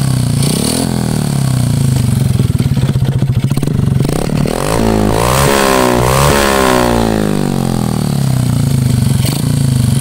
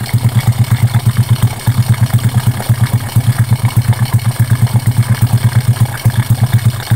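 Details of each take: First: Honda Karisma single-cylinder motorcycle revving up and down with a rough, clattery mechanical noise from the piston area, plus white smoke from the exhaust; owner predicts worn piston needing oversize piston, cylinder work and valve re-seating. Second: Honda Karisma single after repair for white exhaust smoke and rough piston noise (piston replacement, valve setting): even, low-pitched thump at a steady idle with no knocking or ticking; runs healthy.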